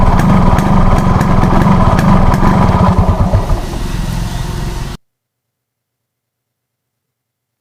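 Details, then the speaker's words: Yamaha RX 135 two-stroke popping at idle, about three to four beats a second, turns uneven and dies by itself; won't hold idle after pulling 40-50 and releasing throttle; air screw set 1.75; owner plans to change rubber: engine stalls at idle. "बंद हो जाता है automatic. ठीक है? यही problem है इसका।"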